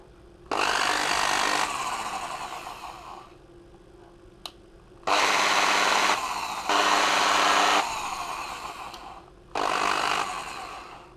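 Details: A Bosch corded drill before repair whirs in short bursts with a rough, buzzy edge, each burst winding down slowly. It is noisy and running at low revs, and the carbon brushes were found somewhat worn.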